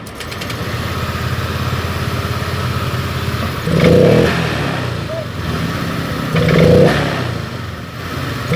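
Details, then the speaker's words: Honda Vario 125 LED scooter, sluggish at initial throttle: fuel pump pressure about 20 psi instead of 40 normal, high DFM; idle then two soft hesitant blips; low fuel pump pressure. "ini merebet di awal gas dan juga DFM tinggi sudah merebut permasalahannya berada di full bom kurang tekanan"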